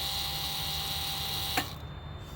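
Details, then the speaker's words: 1999 Lexus GS 300 after brake booster master cylinder assembly replacement; original symptoms were a cabin buzz, ABS and brake lights on and no brakes. Key on after pumping the brake 40 times. The pump gives a steady high whine for about 1.5 seconds, then cuts off cleanly as fluid drops. Normal cycling. "Key on after pumping the brake 40 times. You see the brake fluid go down. It was up here at the full. You'll see it go down as the pump comes on."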